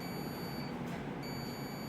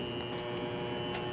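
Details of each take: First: I've got my own meter crossed that switch and like we had discussed it should be closed and if I just put a little bit of pressure on the plastic plate it closes Second: Water Ace sprinkler pump motor (previously epoxy-repaired shaft, new seal): steady hum with faint whine, not spinning up, drawing locked-rotor amps, tripping thermal overload; new capacitor didn't help; owner suspects centrifugal start switch, unsure.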